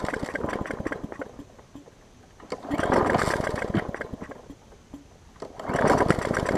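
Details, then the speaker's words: Hyper Tough mower, customer return with a severely bent blade, first start after a new blade was fitted, with starting fluid: small engine runs rough, rising and sagging every few seconds, surging; loose gas tank noted. "so as you can hear it goes wrong albeit not great right now but it's not smoked"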